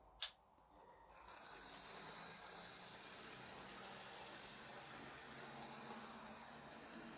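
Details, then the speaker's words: Second-hand Lima Class 73 (73108) model locomotive after its wheels and top were cleaned, not yet oiled. A thin, steady high motor whir with no stutter or grinding; it runs noticeably better and normally. "yeah but she does seem to be a fair bit better have a listen"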